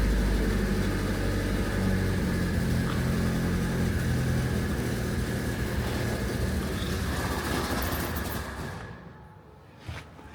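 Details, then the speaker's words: Classic Renault R16 first start after low-oil-pressure knocking bottom-end repair, oil pressure now good: smooth, even idle with no knocks or ticks, winding down cleanly on shutdown; normal healthy idle. "that sounded sweet didn't it there's no noises there are no noises happy days"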